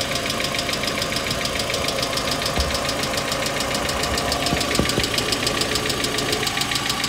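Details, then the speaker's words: Engine with faulty hydraulic lifter: sharp fast ticking chatter from the top of the engine at half engine-speed frequency, heard from above the engine; collapsed hydraulic lifter tick. "неисправный гидрокомпенсатор издает резкий стук стрекот с частотой вдвое меньше частоты обороты двигателя"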